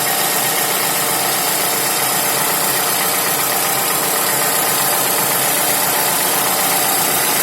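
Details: Toyota Camry 55 with 2AR-FE engine, warm idle: busy, fast, somewhat uneven metallic ticking knock over the running noise; dealer found nothing, rod knock ruled out, timing chain checked OK; cause unknown.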